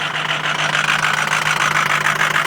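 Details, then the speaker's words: 2005 Ford Powerstroke 6.0 L diesel after a hard cold start, block heater plugged in about 5 hours: steady, even idle with constant low hum, no misses or knocks; running smoothly once started with extra battery charge. "Fucking rough. There. Running perfect now. All she needed was a little extra juice."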